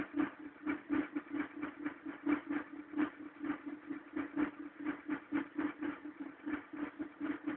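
Cold engine gives a fast, uneven pulsing rattle, roughly two beats a second over a steady hum; cause not clear. Cause suspected, not confirmed.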